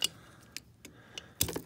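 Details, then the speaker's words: Frigidaire mini fridge LFPH33M4LM not cooling, compressor start relay removed and shaken by hand; loose light rattling clicks in scattered bursts; relay bad, rattling inside, replaced. "so these relays if you shake them and they make noise they're bad yep that's not good"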